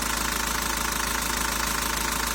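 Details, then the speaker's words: 1.9 dCi diesel idling after cleaning the sensor: constant speed even clatter, no sharp jumps; before cleaning idle revs rose and fell sharply and it jerked, not answering the pedal. "в принципі працює вже більш-менш рівненько нема таких різких ніяких скачків"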